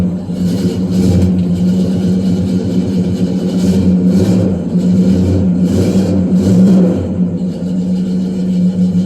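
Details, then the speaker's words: 1968 Pontiac LeMans V8, sat 14 years, restarted partway through a roughly 1,100-mile drive after eating oil: deep, steady, even idle with no knocks or ticks; normal, with 60 lb oil pressure. "well she started so that's a good sign we got 60 lb of [Music] pressure wow"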